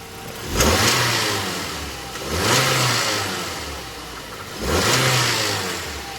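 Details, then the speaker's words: Mazda Premacy petrol engine due to be swapped for a 2.3 L L3, blipped three times; rough knocking undertone as revs climb, rod knock, though it sounds fine at idle. "See if I can get some of that rod knock action going."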